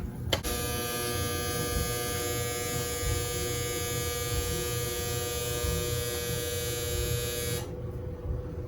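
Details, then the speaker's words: GE electric dryer after timer switch replacement: the end-of-cycle signal gives a steady, even buzz for about seven seconds, then cuts off cleanly. It works normally for the first time in years. "Did y'all hear that? Did you hear that? It hasn't done that in years."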